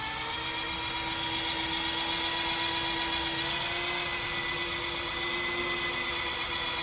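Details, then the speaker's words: Evo 8 engine with oil pan sealed, heads torqued and 5 quarts of oil added, oil pump spun by a drill gun to build pressure: smooth, steady mid-pitched whine, oil already reaching the head; pump priming normally. "What I'm gonna try to do is I'm gonna try to rotate the oil pump with my gun and try to build oil pressure. You hear that? That's the oil pump. It's already going to the head."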